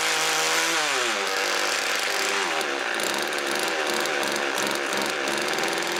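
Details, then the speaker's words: Homelite weed wacker two-stroke, freshly started with choke: small buzz rising and falling unevenly on throttle blips, burbling and smoky; suspected running rich, carb likely needs cleaning and adjustment. "i'm gonna say she's running a little rich or something definitely just [ __ ] plowing the smoke and oil and gas and everything right out the exhaust"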